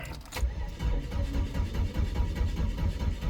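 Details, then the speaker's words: 2002 Chevrolet S10 2.2 with a severe crank-no-start: slow rhythmic cranking pulses about two a second that never catch; owner doubts it is chipped but isn't sure. "we have crank no start I don't believe this would be chipped not 100% sure"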